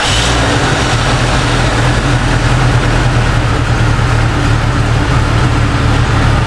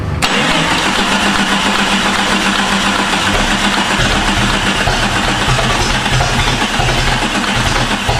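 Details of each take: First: Jeep with swapped engine after coil fault codes P0351, P0352 and P0353: ignition timing corrected by turning the distributor while running. Now a steady, even idle with no stumbles; exhaust taken from another Jeep. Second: Jeep with swapped non-original engine, starter bench-tested OK, cranked via bar with anti-theft suspected: long steady starter churn about four pulses a second, never catches, clicking noted.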